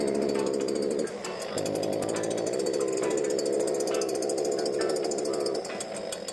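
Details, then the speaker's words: STIHL BG86 hand blower that starts and runs but won't rev up or make power: two-stroke buzzes at a flat, strained speed and dips instead of climbing, caused by a completely clogged spark arrester screen. "Customer states that it doesn't rev up. It starts and runs, but don't rev up."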